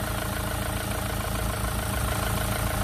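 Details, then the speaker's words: Renault Clio 3 1.5 dCi 85 hp diesel, 300,000 km, after refitting the alternator: even diesel idle clatter with steady beat, no whine, rattle or scraping; noise gone, alternator was the cause; normal idle. "c'est bon c'était bien l'alternateur donc si vous avez un bruit dans la voiture on va commencer par autour de la kaaba d'accessoires essayer de démarrer le moteur pour voir si ça se calme ou non"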